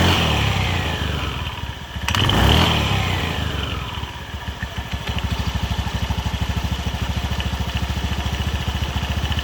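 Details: Honda BeAT FI eSP (K44) scooter, complaint of a rattle when engine braking after closing the throttle, running with the CVT cover opened; once revs drop, a quick metallic rattle of about three taps a second rides the idle. Worn, loose primary pulley collar.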